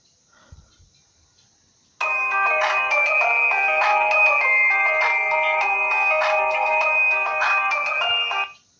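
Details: Reference phone, not the Homtom HT17 with the low-speaker problem, playing a ringtone for comparison; loud, clear melody with bright crisp tones and steady volume: normal ringtone playback.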